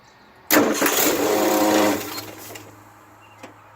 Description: Weird vibration and sound coming from under hood, in the starter area from what I can see and hear.